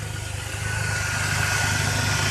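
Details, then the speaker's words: Truck with lifter tapping, after one week of Marvel Mystery Oil (169 miles) and fresh oil and filter: smooth even idle, steady low rumble, no top-end ticking, quieter than before; normal idle. "it even sounds even more quiet than it was before it's unbelievable it is a lot more quiet"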